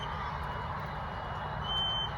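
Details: Thin high electronic tone keeps sounding over quiet outdoor hum, briefly louder near the end, outside an apartment complex where it has sounded since 4 a.m.; alarm source unknown.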